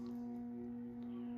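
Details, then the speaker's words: Early-1980s CEC-made Moss Heirloom Olympus 52-inch ceiling fan, walnut cane blades, started on low speed around 55 RPM: constant-pitch harsh electrical buzz from the motor on the variable speed control, very pronounced, one of the loudest such fans owned. "So, as you can hear, this fan definitely has a very pronounced variable speed buzz to it. Definitely one of the loudest fans in that aspect that I own."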